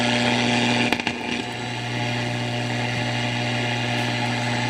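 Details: Motorola A11A radio after new parts installed, antenna on clip leads: steady low hum with buzzy mid tone under hiss; noisy output, cause not yet found.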